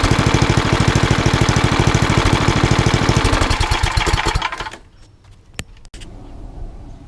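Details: Old rusty Tecumseh 10 hp HM100 single-cylinder engine at idle after a genuine Tecumseh carburetor replaced a knock-off one (knock-off carb or its corrosion blamed), muffler refitted: crisp even beat, no misses or rattles, then clean shutdown; runs beautifully.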